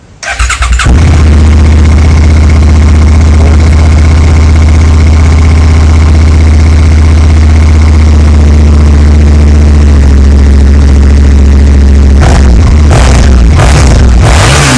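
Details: Rebuilt Suzuki SV650 V-twin after repairs: starts promptly into a deep, steady idle, then blips cleanly with crisp rev rises; healthy engine with a quiet exhaust, normal idle and revving.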